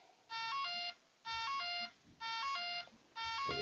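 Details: RC radial LED exhaust setup for propeller warbirds, powered from a 3S balance port, ESC disconnected from the radio: a bright double-tone beep about once a second in a quiet room. This is the speed controller warning that the motor is unplugged.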